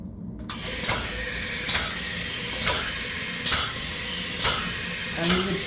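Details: Graco Python XL DA25 pneumatic plunger chemical injection pump, fluid column drained and running dry: regular air-exhaust hiss bursts about once a second with a light, hollow stroke sound.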